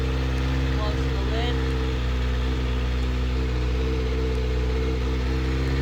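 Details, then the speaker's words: Kawasaki ZX6R inline-four being rebuilt, started right after draining water and filling coolant to purge air bubbles: steady, even idle with a low drone, no knocks or misses; running normally. "I went ahead and filled up the coolant and now I'm gonna go ahead and start it up so the air bubbles go through"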